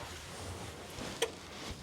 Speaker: So you heard that unit click. Once I pull the power back in, letting you know it's basically charging back again.